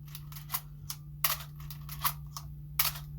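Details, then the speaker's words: Canon AE-1 after lubricating the shutter to fix its squeak and slow speed: several crisp, quick shutter releases with clean clicks and no drag or squeak; the shutter now runs normally. "so now when we release the shutter it shouldn't go pretty quick panel yep you see that see how quick it is now"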